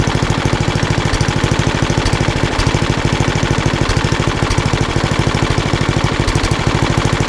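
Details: Old rusty Tecumseh 10 hp HM100 single-cylinder engine at idle after a genuine Tecumseh carburetor replaced a knock-off one (knock-off carb or its corrosion blamed), muffler refitted: even, rapid exhaust pulses, steady and unbroken; runs beautifully.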